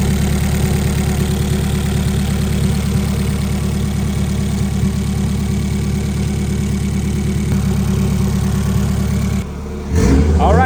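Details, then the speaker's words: Honda Prelude build on the dyno, made about 300-320 hp but very rich; low, slightly uneven chugging pulse at steady speed, lumpy rather than crisp; rich running, fuel cleanup planned to gain power. "Jet D is real fast yeah super fat made 300 horsepower 320 horsepower but so rich you got to do some clean up and then uh should be able to make some more power"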